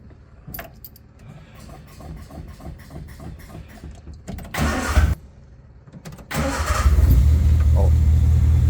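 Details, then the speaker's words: Carburetted car on a test run after wiring a switch for the fuel pump: steady starter churn, about four turns a second, for several seconds before it catches. The float bowl was empty and had to fill first; the pump switch is meant to prevent this. "That's now the downside of carburetors. The float bowl first I have to fill up, and that's why I got this, so I don't need to do that."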